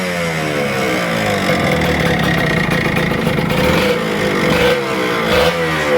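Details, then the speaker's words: Kawasaki Ninja RR 150 two-stroke before service, revving: uneven stuttering crackle and ragged bursts, heavy pull, sticking throttle and slow-returning power valve; misfire and stutter under load, very dirty power valve found. "nah jadi di sini kesimpulannya motor ini terdengar dari powernya saat di gas itu berat ya terus bunyinya juga agak enak ya dari suara-suara knalpotnya itu kayak kebasan banget"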